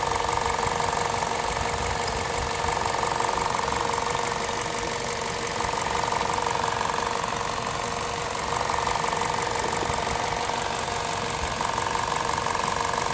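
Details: VTi 120 petrol engine, 137,700 km, warm idle: steady quick light ticking about three per second from the left side of the rocker cover; valvetrain ticking at idle, cause unclear.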